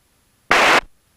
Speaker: Com one makes this hissing sound which goes away after a while.